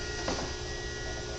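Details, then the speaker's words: Dead car battery on a charger connected and charging at about 13.5 volts and 15 amps, needing several hours: steady faint electrical hum of fixed pitch with a small handling bump; charger working normally. "I think we're beyond engine starting with this battery's dead and you can hear that it's charging and you see that it's putting out 13 and a half bolts again"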